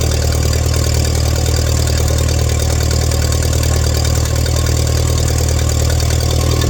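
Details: 1947 Allis Chalmers WC tractor that fired but would not stay running, after checking fuel at the hose and adjusting the idle mixture screw; steady, even low chug at idle with no misses or stumbles; normal idle.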